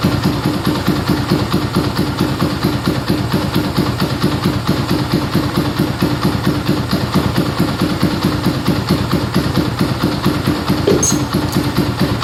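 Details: Yamaha Scorpio single-cylinder idling right after a full tune-up (valve adjustment, carburetor cleaning, new carb manifold, oil filter cleaning, oil change, chain adjustment): it starts at once and idles steady, smoother after the valve adjustment, air screw at about 1.5 turns; even pulse, no ticking.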